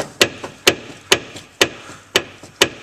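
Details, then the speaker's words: Front wheel rocked during brake and suspension inspection: sharp, regular clunks about twice a second from a bad upper control arm bushing, the same clunk heard when braking. "Listen for the clunk. Ready? Whoa, that's what I hear every time I hit my brakes."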